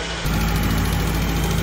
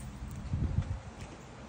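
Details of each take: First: 1999 Acura Integra coupe at idle just after an oil change: a light quick ticking in time with the engine; lifter tick persists, loose valve lash suspected before valve adjustment, lifters possible otherwise. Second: 1999 Acura Integra coupe after valve lash adjustment (intake .004, exhaust .007) to cure a tick: engine fires and catches quickly, then holds a smooth, steady idle with no valvetrain ticking; tick fixed.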